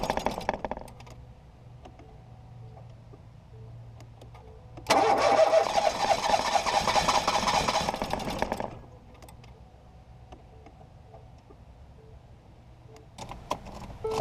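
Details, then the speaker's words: 2018 Ford Focus SE parts car with suspected water in a cylinder, plugs refitted after blowing out fuel-smelling fluid; starter churns steadily about four seconds without firing, then stops; owner suspects a drained battery; engine-fault service warning shown. "trying but oh it's not trying anymore maybe I killed the battery too much"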